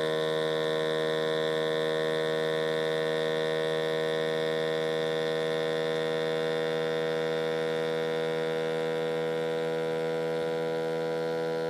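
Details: 6.7 Powerstroke with a strange noise: loud, dead-steady buzzing hum or whine at one pitch throughout, no change in speed; source unknown.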